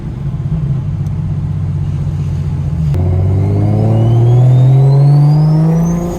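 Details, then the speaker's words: BMW 335 with new Pulsar 6466 ball-bearing turbo, replacing a blown Precision, on a hard pull: clear whistle rising with revs, fading as the turbo winds down; spools noticeably faster, normal turbo spool. "yeah this [ __ ] sounds crazy I can already towel off the bat that it's pulling so much faster since it's a ball bearing"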